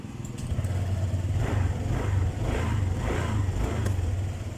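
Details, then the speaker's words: Honda Vario 150 keyless scooter that keeps blowing its 25 A fuse, restarted after switching off: steady low idle with a smooth, even beat and no misses or knocks; starts and runs normally. "Oke, ini di sini sudah off. Coba kita nyalakan lagi. Ini normal."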